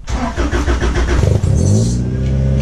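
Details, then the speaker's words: Acura EL (Civic sedan) with an H22A3 engine swap, started indoors. It cranks and fires with a few sharp revs, then drops to a steady, smooth idle with no ticking; it runs normally. "awesome sounds good let's hear it outside"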